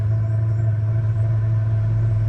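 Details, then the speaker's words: 2 kW Chinese diesel heater in a 1997 Mazda Bongo Friendee after an E-07 code: loud steady low roar, no pulsing, running with the pump off on fuel flooded in the chamber. Owner suspects air in the line after disconnecting the system. "can actually hear that it's running good now with no fuel pump on with just the fuel that's stuck in the chamber"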